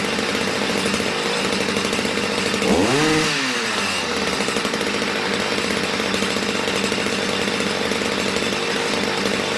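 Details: Stihl MM65 two-stroke that wasn't starting and kept drifting out of tune, now re-tuned after warm-up with something dripping: buzzes steadily with one quick blip up and back down, running and revving cleanly.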